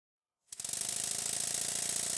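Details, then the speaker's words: Stuart 7A model steam engine just refitted to its dense steam-plant baseboard, exhaust pipe not yet connected, drains working: after a brief silence it picks up into a fast, even chuff with strong regular beats; plenty of power, running well. "engine sounds much better on the base body I won't connect to the exhaust pipe yet it's got plenty of power"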